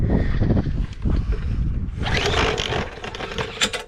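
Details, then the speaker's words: Bolens push mower, Briggs & Stratton 125 cc OHV, fresh gas, primed: each recoil pull gives quick whirring scrape with no firing; no spark, cranks but won't start. "well as you saw when i went to start this no spark i wasn't aware of that issue"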